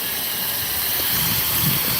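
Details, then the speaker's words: Steam line attached to a boiler feeding steam into a tank trailer at a tank wash to raise its temperature: steady, loud, airy hiss with no pulsing or rattle; normal steam flow. "This is a steam line that comes inside. It's actually attached to a boiler. It gets the steam."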